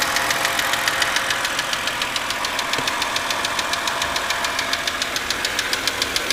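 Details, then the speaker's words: 2006 BMW 330i, intermittent noise always at start-up, lasting whole trips then stopping: sharp even ticking about two per second over the running engine, loudest front driver's side; cause undetermined. "okay this is the uh intermittent engine noise that i'm hearing and uh as you can tell it's uh pretty prominent right now"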